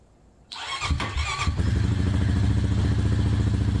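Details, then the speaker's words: 2008 Honda FourTrax TRX420 fuel-injected ATV in neutral: short crank, catches at once, settles into an even steady idle thump. Normal start and idle. "I love fuel injective change they just fire right up"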